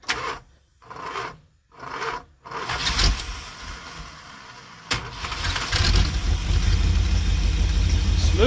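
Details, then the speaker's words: Mopar 440 big block in an old motorhome, fuel pump suspected dead, carb condition unknown: starter drags through slow, heavy turns with pauses, then engine catches and idles steadily; slow cranking but starts easily. "i would think with it cranking that slowly you wouldn't get it to start that easy but it doesn't seem to care"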